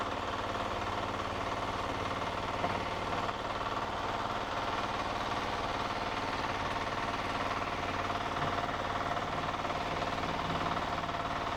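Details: Diesel power weeder with electric starter, auto clutch, 3 forward gears and 1 reverse, running in a demo. A steady, even chug at constant speed with no misses, knocks or hunting. Normal running.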